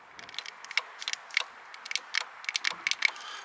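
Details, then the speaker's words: VW Polo 6N2 GTI 20V turbo power window motor: faint, irregular dry clicks with no motor whir, glass not moving; owner unsure whether the motor is seized. "I get a clicking from this motor, so I'm not sure if it's seized or it actually works,"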